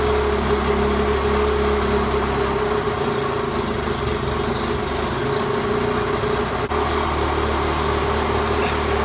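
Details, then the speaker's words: 1986 Mercury 35 hp outboard in forward gear after raising the idle slightly on the carburetor: steady, even idle with a smooth low drone, no misses, knocks or hunting; runs healthy in gear. "that's forward gear and idle"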